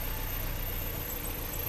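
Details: Chevy/Opel Corsa four-cylinder idling unstable and vibrating, injectors unplugged one by one: heavy, uneven rumble, shaking more when injector 2 is disconnected; two cylinders not firing, injector or harness suspected faulty.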